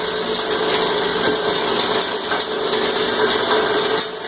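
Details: Cumberland granulator chopping about 10 pounds of copper wire. Steady, harsh chopping and grinding, a little noisier under load, with uneven surges as wire tumbles, easing toward the end; normal granulator operation under load.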